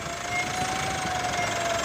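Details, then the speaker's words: 2017 Mitsubishi Pajero Sport diesel, 104,000 km, stationary and revved, heard outside: thin high whistle holds fairly steady over engine noise; turbo compressor fins damaged; air filter replaced. "Nah, ini mobil kondisi tidak jalan ya, posisi stasioner, kondisi digas. Ya, turbonya kisi-kisinya rusak teman-teman."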